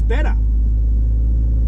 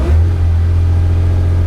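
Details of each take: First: Porsche 911 2.8 RSR build on a Link ECU, cold start, no throttle: catches quickly and settles into a steady, even low rumble with no stumble; starts better than before, a clean cold start. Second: Porsche 911 2.8 RSR build on a Link ECU, throttle sync check after about 15 minutes running up to 50 degrees, mic right over the exhaust: loud, steady drone at a held fast idle around two thousand; balanced, but one bank was lagging slightly.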